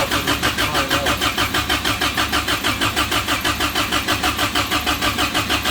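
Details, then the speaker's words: Samurai rock crawler engine newly converted to propane, manifold plate refitted: steady cranking about three beats a second that never fires; a missing manifold port plug leaks vacuum. "ere that I did not put in when I was putting all the fittings in so again no vacuum and yeah sometimes you just need to slow down uh and take your time yeah so that is the plug that goes in right here creating all of my problems"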